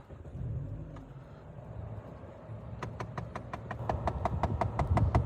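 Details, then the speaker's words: 2013 Dodge Avenger, bought cheap with an engine noise the previous owner couldn't diagnose: sharp, even ticking about five per second over low engine rumble every start-up; not an engine problem, traced by removal to a clip-in part that needs replacing. "it makes a noise like that. All right. So, I'm going to show you guys how to fix it. So, it's not a problem with the engine."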